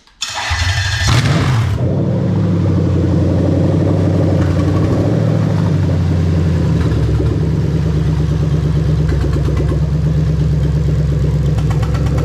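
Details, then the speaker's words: Lexus LS400 1UZ-FE VVT-i engine running on a hardwired IS200 plug-and-play harness: loud open-pipe V8 catches quickly and settles into a smooth, even idle with no misses; all cylinders working, no check engine light, normal idle. "We're happy all cylinders are working. We've got no check engine light while it's running."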